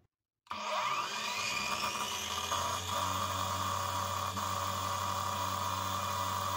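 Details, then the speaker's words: Parkside Performance PWSAP 40-Li A1 40V cordless angle grinder running free at about 5700 rpm: loud steady high whine near 110 dB with coarse rattle underneath; rattling bevel gear causing noise and whole-tool vibration. "le bruit est extrême, presque 110 db. Ceci est causé par l'engrenage d'angle de cliquetis qui provoque également des vibrations de l'ensemble de l'appareil."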